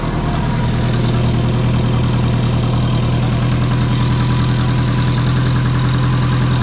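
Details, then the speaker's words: Twin-turbo Subaru with low-mount turbo setup, idling after manifold nuts were tightened: steady low idle with uneven puffing pulse about three a second; exhaust leak persists, sounds like it's leaking from the wastegate, not yet confirmed. "definitely sounds like it's leaking from that wastegate"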